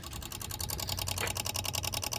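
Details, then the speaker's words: 2006 Dodge Stratus 2.4L no-crank with new PCM and starter, key on: rapid steady ticking about ten clicks a second, relays chattering; technician suspects a bad ground connection. "i feel like we got a bad like ground or something on this car so what was you just doing [Music] now what is clicking"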